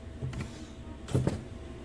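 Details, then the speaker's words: Toyota Rush about three years old, engine idling after brake repair for deep pedal, weak handbrake and whistle on pedal release: soft brake pedal clunks, no hiss or whistle on release, pedal now firm. "Kasi 'ag inapakan mo 'yung brake pedal tapos ni-release mo siya, binitawan mo, meron siyang sipol. Subukan natin ngayon >> oh. Wala na oh."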